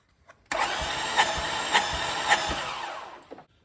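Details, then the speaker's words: 2005 Lexus ES330 that stopped while driving, cranked with a remote starter trigger during compression test, under 30 PSI, timing belt or head gasket suspected: rhythmic squeak rising and falling each compression stroke while cranking, cause unknown. "oh that doesn't that ain't good it's not even 30 PSI [Music] no compression there what is that squeaking"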